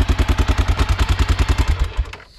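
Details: Honda Dominator 650 motorcycle with broken engine, roadside stop on 3000 km ride home: heavy loud thumping about eight beats a second with hard mechanical clatter, then dies away; badly wrong inside, like a tractor and sewing machine.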